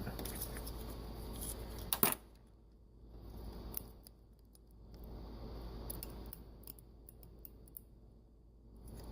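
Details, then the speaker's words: Meyer E57 snow plow pump solenoid valve powered from a battery charger: one sharp click as power is applied, then a low hum, showing the valve is moving. Operation seemed inconsistent, possibly from the clip-on terminals, but the valve was assumed good. "hear that that is the sound of a valve moving so that's good"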